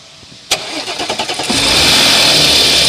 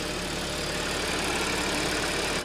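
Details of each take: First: 2014 Audi S, about a year-plus old, cold start: brief metallic rattle as the engine catches, then disappears; customer reports engine noise most obvious on cold start. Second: Audi S (bought 2014) idling steadily after repair, even hiss and hum; the earlier cold-start engine noise, a whooshing and gurgling from the timing chain and sprocket, is gone.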